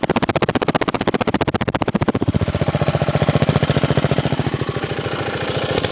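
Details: 5hp minibike single with a homemade welded exhaust, baffle and a slight leak hiss. Loud, sharp, even pops at a steady idle near 220 per minute. Finding: normal running, loud exhaust.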